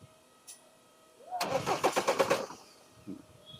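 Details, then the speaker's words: Skoda Octavia 1.9 TDI diesel: a second of steady, even cranking pulses with no firing; cranks but won't start, no communication with the ECM, traced to a water-damaged engine control module that was replaced. "Self ले र है लेकिन start नहीं हो रही है यही problem है"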